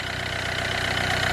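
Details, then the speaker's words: Hyundai Getz engine at 149,668 km, after clutch kit and oil pan gasket replacement for oil loss and poor pulling: steady, even idle with a smooth low beat and no knocks, misses or rattles; runs well. "şu araç gayet güzel çalışıyor saatlerimi çok güzel"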